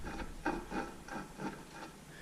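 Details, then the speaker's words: 2003 Chevy Tahoe with vibration when accelerating: the front U-joint on the rear driveshaft is removed and worked by hand. It gives dry, gritty scraping in short bursts. This greaseable joint has worn, dry roller bearings with little grease left. "And it's pretty dry. All the little roller bearings in there. There is some grease in there, but it's it's pretty dry."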